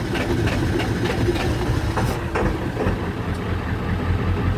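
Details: Ford 7.3 Powerstroke diesel with a recurring fuel issue that ran rough, smoked and would not go above 1200 rpm before shutdown: low rhythmic chug drags on for seconds without settling into a clean idle; long cranking hard start, cause unconfirmed.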